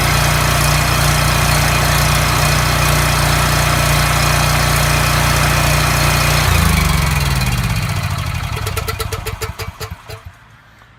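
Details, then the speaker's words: Coleman unit with 3600 rpm engine, after governor replacement (part 277-42201-33): constant steady drone without surging, then switched off and coasting down; tachometer reads about 3590–3615 rpm, within spec, governor holding speed normally. "alright so what I did with using this tachometer I got the machine up to 35 I'm 90 and then on the high side it goes up to 39 36 15 so that's right in the ballpark you want"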